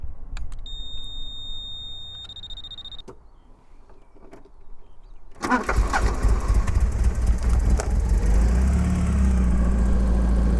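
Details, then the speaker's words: Porsche 944 cranking steadily at about four beats a second, seeming close to catching but never starting; injectors tested and audibly clicking, and it ran a week earlier. Crank, no start, cause unknown. "I can hear the injectors clicking. It ran one week ago."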